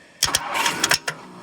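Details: 1964 Ford Thunderbird with a no-crank fault, the starter S wire jumped with a jumper wire: short rapid bursts of cranking over about a second. The starter turns, so the fault is in the start circuit; the neutral safety switch or column wiring is suspected.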